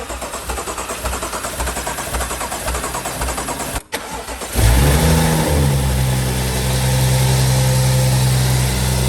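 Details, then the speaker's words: BMW M135i after full engine rebuild following seizure: steady cranking about four seconds, then engine catches on a cold start, a bit louder than usual, settling to a smooth even idle; clean healthy start. "there we have it 135i is alive as you can see the revs are sitting perfect it's a cold start obviously so it's a bit louder than usual"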